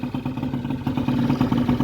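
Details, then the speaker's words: Honda Vision scooter after new barrel, piston, cylinder head and crank: quick, even putter at low steady idle, no ticking or tapping; normal idle. "But that sounds so good. I'm so chuffed."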